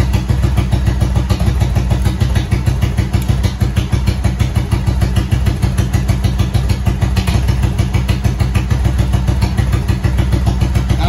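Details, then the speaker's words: Motorcycle jump-started from a Milwaukee impact tool battery after choke, owner suspects kill switch trouble: steady even putter about three beats a second, no knocks or misses; runs pretty good, normal idle. "choke [Music] it runs pretty good"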